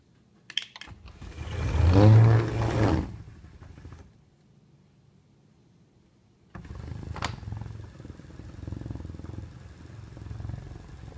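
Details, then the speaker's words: Autoslide electric sliding door opener, cover removed, close-up of motor, shaft gear and rack gear: low motor whir with slight gear noise as the door opens, pauses and closes; little noisier than the door alone. "so as you can hear there's just a little tiny bit of gear noise there it's really not much uh more noisy than the door opening and closing without the auto slide unit on it"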